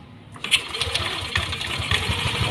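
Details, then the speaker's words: First-generation Yamaha Aerox 155, complaint of a knocking rattle at startup, after engine reassembly with oil and radiator refilled: the engine settles into a smooth, even idle with a soft beat and the ticking gone; fault traced to the top end; normal idle. "sip ya wis Mas Bro tu suaranya adem lagi ya adem lagi halus lagi"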